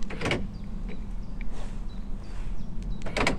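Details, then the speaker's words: Land Rover Freelander 1 after repairing the door lock motors by cleaning the commutator: two quick, crisp actuator clunks about three seconds apart over a low idle hum. The central locking unlocks and locks normally. "so the key works and let's just check the central locking as well unlock and lock you can see that"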